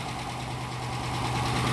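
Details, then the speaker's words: Police Dodge Charger HEMI just started after replacing lifters with new updated parts to cure a tick and misfire: light quick ticking over smooth idle easing off as oil reaches the new lifters. "Hear that? It's going away. You know why? Cuz it has the new updated lifters in it."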